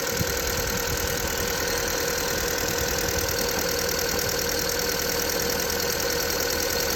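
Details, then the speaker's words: VW Polo petrol engine at idle in winter (-6°C): steady thin squeal from the slipping alternator belt, usually much louder at -15 to -20°C; spraying the belt made the noise largely go away. "Звук вот это свист его не так слышно обычно его сильно слышно когда -15 -20"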